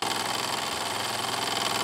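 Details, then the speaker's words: Wilesco D6 model steam engine, warm and running a while: fast, even chuffing patter with a light metallic rattle, steady speed; normal operating speed after running very fast at first. "that's about a normal operating speed there it usually runs real fast there at first"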